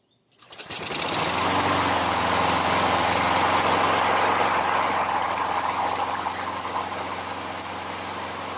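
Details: Briggs & Stratton 6.75 Quantum L-head mower engine after carburetor rebuild with overhaul kit: starts on first pull and settles into a steady, even running note, no misses, knocks or surging; healthy.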